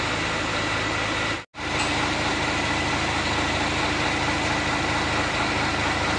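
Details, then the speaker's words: Hino FM260Ti dump truck (Hino 500) with a freshly assembled J08E diesel at idle, a steady low rumble with no knocks or misses; very smooth and healthy after rebuild. "untuk bunyinya sangat halus yakni sangat halus"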